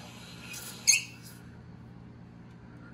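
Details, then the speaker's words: Well pump system with a waterlogged pressure tank (failed bladder, water spurts from the top valve): sharp pressure-switch clicks about two seconds apart over a low pump hum as the pump short cycles; the tank needs replacing. "so if you hear the pressure switch clicking just like what we just saw and you have water coming out of the top of the pressure tank it's time to get that pressure tank replaced that's what we refer to as a water log tank"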